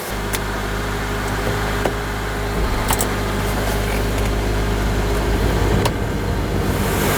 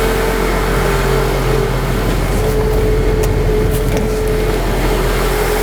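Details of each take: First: 2004 Honda Element 2.4L after alternator replacement (old one charged about 12V), idling with all electrical loads on, charging 14 volts: steady even idle, smooth low hum, no whine or grinding; alternator working normally. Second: 2004 Honda Element 2.4L, engine running with electrical loads switched on; thin wavering whine that comes and goes with load, voltage insufficient to keep battery charged; failing alternator diagnosed before replacement, battery good at 12.9 V.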